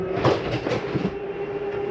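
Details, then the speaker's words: 2022 Jayco Eagle 29.5 BHDS, slide two (dinette slide) retracting from the control panel: steady mid-pitched motor hum with a few light clunks at the start, no grinding; normal slide-out retraction. "select slide number two retract this and bring in your"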